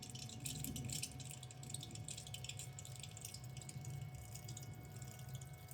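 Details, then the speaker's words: BMW X5 E70 N52, ignition on and engine off, electric water pump running a bleed cycle triggered by a Thinkcar S8 Platinum: steady trickling and splashing of coolant over a faint constant pump hum; normal circulation. "so I don't know if you can hear the electric water pump working. But you should hear that. That's what it normally should sound like, so you know for future reference."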